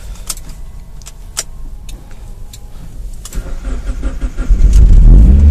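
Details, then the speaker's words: 2004 Mazdaspeed Miata, pro-tuned on Hydra, cold start at about 45°F, third attempt: starter churns at about 3.5 turns a second for over four seconds before the engine catches and roars. Extended cranking before it starts. "Oh, we got it. That's actually not bad."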